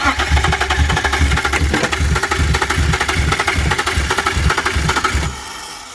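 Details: BMW 328i with suspected wiring issues, new mass airflow sensor ordered; uneven, lumpy firing catches for about five seconds then drops off abruptly: starts then stalls.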